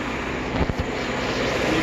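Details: 2012 Ford F-150 3.5L EcoBoost at idle, recorded near the brake vacuum pump behind the driver's-side headlight. Harsh, steady gritty grind with rough catches, and the pump visibly shakes. The original metal pump has corroded inside and the bearing is failing; these pumps were under recall.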